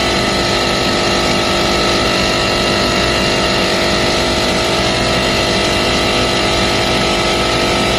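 Loud, harsh, constant roar with a rough rattling edge and no change in speed; this compressor is running noisily and sounds faulty.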